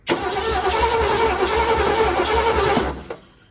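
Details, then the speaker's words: 1976 Ford Bronco Sport parked 30 years, after ignition module and wiring repair: steady starter cranking about three and a half turns a second for three seconds, never catching; spark now present but carburettor has no fuel. "okay we are finally getting sparked so the next thing we need is fuel"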